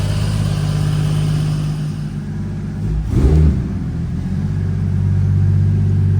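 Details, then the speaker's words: 1995 Toyota Supra RHD with 2JZ-GTE swap and big single BorgWarner turbo: deep, smooth engine note rises cleanly on a quick blip and settles back without misses; running healthy. "As you can see, the car is running and driving perfectly. It idles great. It sounds healthy."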